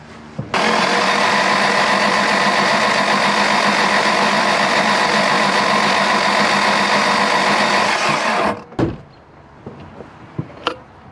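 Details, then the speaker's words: Ford engine cranking during compression test: fast steady starter churn about three and a half beats a second, never catching; cylinder 4 exactly 0 PSI. "Zero compression. Wow, okay. Yep, so cylinder number 4 is exactly 0 PSI."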